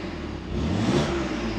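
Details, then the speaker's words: BMW F87 M2 with a modified mid pipe, in efficient mode with the exhaust flap closed via an add-on module: a short, smooth, muted rev blip with no rattles, a normal quiet exhaust. "i'm currently in efficient mode which is uh exhaust flap closed"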